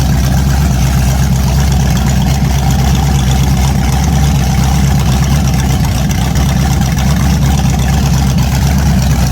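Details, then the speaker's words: An 010 350 Chev small-block V8, carbureted, on an engine stand for an HQ sedan rebuild. Deep, even burble with a steady beat and no knocks, ticks or misses; normal idle. "Wow, that's bloody perfect. Very happy with that. Very happy. The carby even sounds like it runs well, even though we'll clean it up a little bit on the outside."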